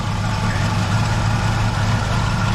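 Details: 1976 Chevrolet Nova V8 idling after repeated dead batteries, brand new alternator, gauge reading 14.7 V while charging: steady, even deep rumble with no misses or front whine; engine and charging fine, battery confirmed as the fault.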